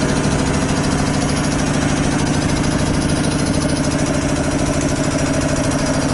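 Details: 25 hp single-phase air compressor, loaded with a valve open bleeding the 120-gallon tank from 150 toward 100 psi: steady pumping thump about 200 beats a minute, no knocks or rattles; normal loaded running.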